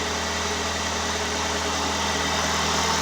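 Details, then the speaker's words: 2017 Hyundai Santa Fe 2.4 GDI, first start after engine replaced for valve-related misfiring: even, steady idle with no stumbles or skips; misfire resolved. "there you go the problem solved no misfiring absolutely nothing"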